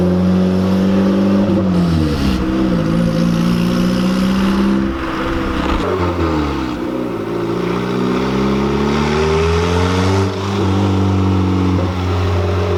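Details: Honda Civic EG with freshly installed turbo, first start, put in neutral to let revs drop by themselves: engine settles from a blip, revs wander down and back up a little, but it keeps running without stalling.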